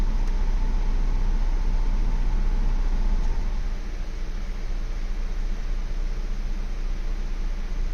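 Steady low idle rumble with an uneven, lumpy beat about three times a second, no clean rhythm; a rough idle, cause not evident.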